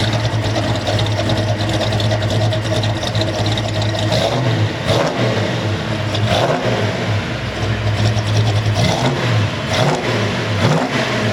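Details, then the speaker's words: Restored 1970 Chevelle SS454, 454 cid big-block V8 rated 360hp with Turbo 400 automatic: deep, even burble rising and falling cleanly through several revs, no knocks or misses; normal healthy running and revving. "As equally great looking as this car is, wait till you hear how great it sounds."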